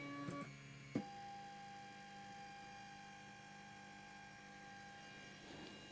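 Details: Used Trinus 3D printer bought on eBay, homing all axes from the Pango console on a laptop: short stepper buzzes and a steady motor whine, then a quiet hum; printer homes normally.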